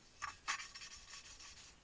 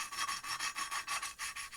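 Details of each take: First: Motorcycle engine valve being lapped by hand with cutting paste and a lapping tool: gritty back-and-forth rasping, rough at first then smoothing and softening as the valve beds into its seat; normal valve lapping. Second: Hand-lapping a CB250 exhaust valve with fresh coarse cutting paste: rhythmic gritty rasping strokes about six a second, high and scratchy, getting nice and smooth; nearly ready for the next step.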